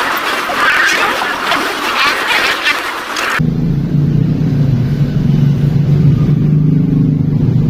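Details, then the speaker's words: Honda Beat scooter converted from petrol to LPG, running at low gas pressure before idle adjustment: low, even engine drone settling in steady; runs normally on gas. "Karena untuk motor tekanan rendah aja masih udah bisa hidup ya kita dengar suaranya"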